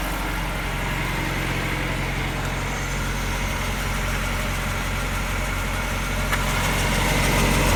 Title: ハブベアリング異音調査 ホイール付き